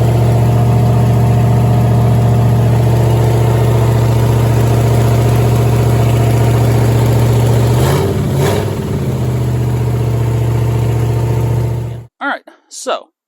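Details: 1969 Mercury Cougar convertible with newly fitted 351 Windsor V8, first start after correcting wrong firing order that caused backfiring out the carburetor: deep, even idle, one quick throttle blip, no popping back through the carb.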